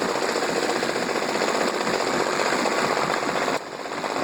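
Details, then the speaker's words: Mercury 40 hp 4-stroke outboard, about 1999, long sat and always idled rough, warming up before carb sync with a CarbTune Pro. Loud, rapid, choppy idle with uneven rhythm; the three carbs are out of balance. "Okay, so as you can see, I don't know if you can hear me or not, the cylinders are off quite a bit."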